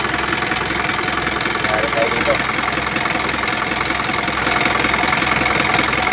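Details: Isuzu 4HF1 diesel running; busy even clatter about three and a half beats a second over heavy breathing hiss, lots of smoke from the breather; excessive blowby, later fixed by replacing piston rings and connecting rod bearings.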